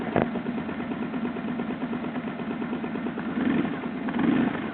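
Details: BMW R1100GS at steady boxer idle: light, quick dry ticking at engine speed. Source unconfirmed; the owner wonders if it is the throttle body. Engine ticking.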